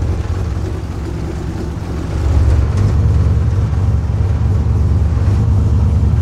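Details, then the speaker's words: Freshly built RB28 billet-block turbo six (Garrett G42 1200 turbo, double Supertech valve springs, drive-by-wire ITBs) on first start, running through a temporary muffler; deep even rumble that settles after a couple of seconds — normal running. "okay so let's just fire this thing up and listen to it got a muffler at the moment it's probably not as loud as it would normally be but it's okay for being at home"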